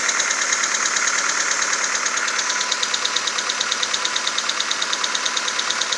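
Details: VW Golf 4 1.4 AHW: sharp, even knock about three per second at idle on a cold start, fading when warm to a distant ticking with shuffling; runs smoothly, 5W40 Castrol Magnatec changed every 10,000; cause unknown.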